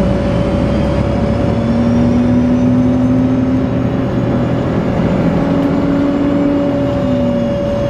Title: 17. 92-001-01 דן בצפון צלילי מנוע בתוספת שריקה המהווים רעש לא נעים בנסיעה בשדרות ההגנה חיפה